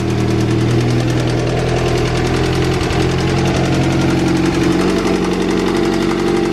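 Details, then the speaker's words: Acura Integra, eBay turbo kit on B18B engine, fresh injectors, PCV valve broken: runs and idles but loud heavy hammering gets louder with rpm and fades on deceleration, a rod knock; engine judged junk. "oh yeah and then as it decelerates the knock goes away that's how you know it's a rod knock"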